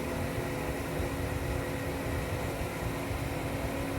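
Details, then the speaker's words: Gas pool heater while firing, before an expected clattery shutdown and restart: steady low one-pitch hum over the burner's rush of air; owner believes the moan is pressurized gas through the pipes, unconfirmed. "want you to hear the moaning sound. I believe that's the pressurized gas going through the pipes."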